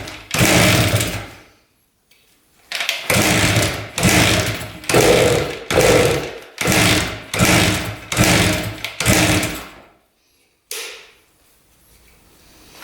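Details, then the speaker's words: 1973 Harley-Davidson two-stroke on premix, sat dry for years, choked kickstart: repeated kicks each give a second of weak chuffing firing that dies away. It wants to fire and is getting fuel, but low compression prevents it from running. "It wants to fire. It just doesn't have enough compression."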